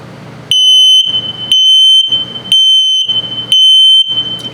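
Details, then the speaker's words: 2023 Flagstaff 176LTD tent camper, LP gas/CO detector test cycle: loud high-pitched half-second beeps about once a second, the low battery alarm pattern; slow beeping means the battery is low. "Also, if it beeps very slowly, it's telling you your battery's low. So it's also a low battery alarm."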